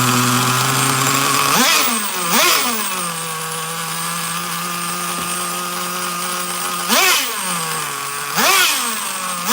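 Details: Traxxas Nitro Slash nitro engine on the bench: it screams, then settles to a high, steady idle between blips instead of dropping low. The throttle linkage is slightly off and pulling the carburetor a little open.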